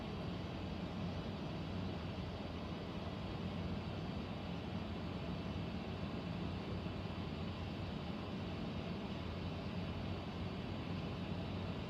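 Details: Central air conditioner air handler, apparently above the bedroom closet, making a steady low droning rumble with airy rush and no rhythm; owner questions a possible leak; abnormal noise, cause not confirmed.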